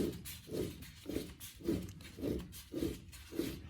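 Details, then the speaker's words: 2004 Ford F150 4WD rear differential, growling on the road: gritty, rough rubbing in repeated strokes as the pinion shaft is turned by hand with the carrier out, showing worn pinion bearings. "So our pinion bearings are at fault here."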